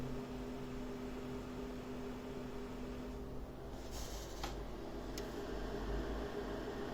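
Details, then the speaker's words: AMD RX 7600 graphics card at full load, 98% usage, about 181 W, 95–96 °C, fans around 2600–2700 RPM: soft steady fan whoosh with low even hum, no rattle or grind; normal fan noise. "the temperature again 96 degrees that is a full throttle the fan okay maybe it's not that noisy listen to this you can definitely hear it"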